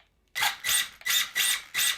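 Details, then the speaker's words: RC buggy slipper clutch, warmed by several punches after the ball diff was tightened and the slipper loosened: five short, sharp buzzing bursts as the slipper slips briefly. It is on the limit but acceptable for low grip, so the slipper slips before the ball diff. "So it's just on the limit, I think. As I've said, on low grip surfaces you don't need the slipper to be that tight, so I think this setting is alright, and it's very crucial for you and the lifespan of your ball diff, so it doesn't slip first before the slipper."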